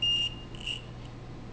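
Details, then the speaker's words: Umbrella-reminder FM transmitter/receiver project: shrill high buzzer in short bursts of about a quarter second with blinking LED as the antennas move out of range, stopping when back in range; normal out-of-range alert. "as they move out of range up and we hear the buzzer and you can see the LED in action blinking away"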